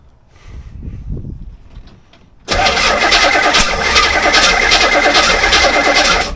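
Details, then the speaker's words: C4 Corvette 350 V8 after engine reinstall: quiet cranking then a loud ragged blast of popping and spitting that never runs; owner suspects timing 180 degrees out or not enough fuel; backfire during cranking. "Yeah, I think I had it timed right. It's now backfiring out. Didn't have enough fuel."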